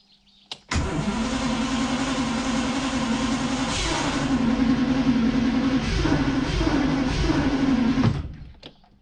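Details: 1960 B-spec Daimler Dart SP250, started after three years dormant with a NOCO GB40 jump pack: it cranks and catches quickly, then settles into a smooth, even V8 idle with light blips before shutdown. A normal start and idle.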